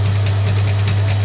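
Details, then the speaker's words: Steady low hum with crisp regular ticks about five times a second from second-hand Triumph ignition coils and injectors for a planned Suzuki GS550 fuel-injection conversion, run on a bench rig; ignition coils sparking and injectors firing normally. "I won't run this for very long but yeah I can still hear the injectors firing we've definitely got sparks"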